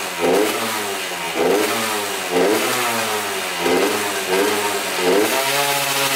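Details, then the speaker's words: 1994 Honda CR80 two-stroke running on choke: revs rise and fall back about once a second. It runs well only on choke; owner thinks it is running way too lean, the air screw does nothing, and guesses the pilot jet is too small. "so the bike runs great with the choke on so that tells me that the bike is running way too lean um very strange"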